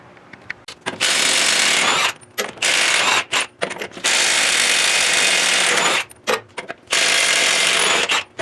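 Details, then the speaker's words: Milwaukee half-inch cordless impact on 2009 Ford F-750 lug nuts, battery down to two bars: repeated two-second hammering bursts that stop and restart without breaking the nut free; impact weak from low battery. "so all right so you saw the half inch milwaukee was struggling i'm down to two bars on that battery so let's go back to them two lug nuts that wouldn't do it"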